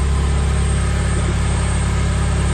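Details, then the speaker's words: First fire of a JDM K24A engine swapped into a Porsche 996 911: steady, even low idle at about 1000 rpm or less, no ticks or knocks; smooth, healthy idle. "ticks or knocks or anything crazy it sounds smooth as can be"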